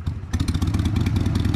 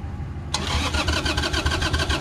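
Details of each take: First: 2002 Harley-Davidson Sportster after carburetor cleaning, not yet warmed up, just stalled once. Lumpy, uneven V-twin idle with irregular firing beats that sags toward stalling: rough cold idle. Owner thinks it needs an idle adjustment. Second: 2002 Harley-Davidson Sportster, just after carburetor cleaning (fuel jet and air jet cleared). After a short crank it fires straight up into a lumpy but steady V-twin beat with crisp blips, starting much easier and sounding better than before: normal start.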